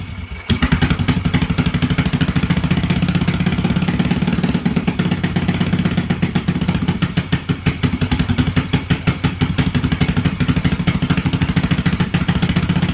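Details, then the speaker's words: 1986 Yamaha XV750 Virago V-twin, first start after winter with Gen1 KJS single-carb manifold, old gas, dirty carbs, choke disconnected, cold: lumpy uneven firing with some clatter, pulses wandering in strength; runs rough, needs carb tuning. "it's going to need some tuning it's definitely going to need some tuning old guy stinks but at least she fires up so that's a good thing"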